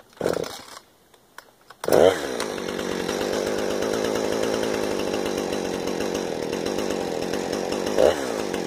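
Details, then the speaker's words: 455 chainsaw with new chain, after carburetor tuning: snaps up to a high steady scream around 13,600 rpm at wide open throttle with no load, not bouncing off the limiter coil; idle about 3,100 rpm, well tuned. "turning right out a c3 are right out about 3,100 rpms idle and turning right out a 13-6 wide open throttle with no load in it which is what saw supposed to be"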